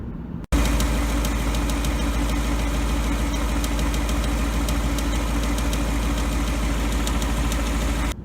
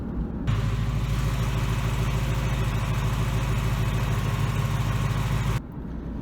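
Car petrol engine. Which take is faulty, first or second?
first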